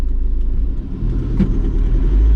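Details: 2012 Land Rover Defender 110 Utility Puma diesel, cabin while driving: steady low rumble and road noise with no pinging or clunking.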